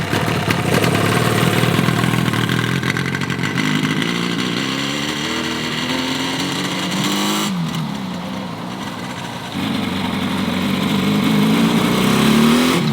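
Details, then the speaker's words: Yamaha RD350 two-stroke twin, abandoned about 10 years, on its first ride. Revs climb, then the note sags around mid-throttle before picking up; it bogs at higher rpm. "rides kind of wants to work I think at higher RPM it gets a little bogged down"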